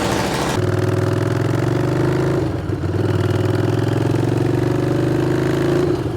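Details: Custom Harley-Davidson Street 500 V-twin after a full rebuild with upgraded parts; catches right away and settles into a steady, even idle with no knocks or ticks; healthy motor.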